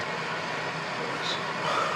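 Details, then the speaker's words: Indesit washing machine with fault code F05, after unjamming and refitting parts, front panel off for leak check: steady hiss of water filling, no pump drone, grinding or knocking; fills normally. "Filling up with water. I wipe this first, remember to wipe it. And then obviously it's got water in there, you can hear the machine working."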